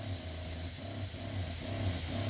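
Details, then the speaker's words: DIY 12 volt soft wash setup, entry-level pump on marine battery, first spray test: low motor drone swelling and sagging about twice a second; pump surging, owner unsure if normal or a leak in the system. "you hear that Wow I don't know if that's normal I guess we're gonna figure that out"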